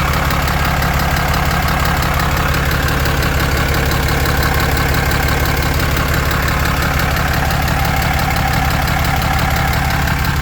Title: 2016 Cummins 6.7 Knocking/ Clicking noise under the engine, 75k miles